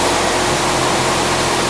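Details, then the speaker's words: Old house furnace blower being converted to a shop blower, outlet partly plugged off: steady airy rush with faint hum as it speeds up and freewheels with airflow restricted, still moving lots of air. "still a huge amount of air coming out of there and that's restricted enough you can hear how it's sped up and what it's doing is freewheeling"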